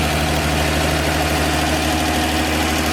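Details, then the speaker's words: 1954 Chevy 210 coupe, sat unknown time, first run after finding distributor wired backwards: steady, even low thrum with no misses or knocks, oil pressure present; normal idle. "Motor runs good. We got oil pressure."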